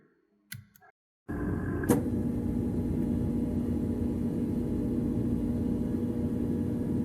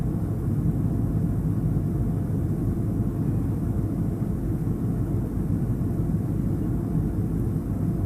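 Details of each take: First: sometimes especially when we just got a new refrigerator if we haven't turn up the water up the ice maker should be turned off because it will attempt to take water and this is a noise you will hear Second: LG refrigerator, rear compressor cooling fan that runs whenever the compressor runs: an even, airy low hum with no ticking, scraping or rattle. The fan is running normally.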